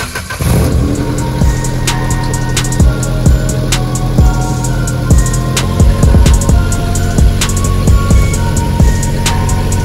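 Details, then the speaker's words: Nissan 240 at idle during an exhaust leak hunt: uneven puffing chuff and sharp ticks from the rear, with exhaust escaping through a crack in the muffler, which is also leaking at its front. "all right we have located another exhaust leak as suspected right in the muffler so yeah it is leaking out of the muffler there pretty good crack there"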